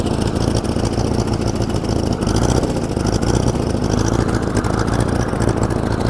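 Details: 1947 Farmall Cub running on a replacement engine from a buddy, the original having been frozen and busted. Uneven, stumbling beat with dropped firing pulses; one cylinder missing because one valve is stuck.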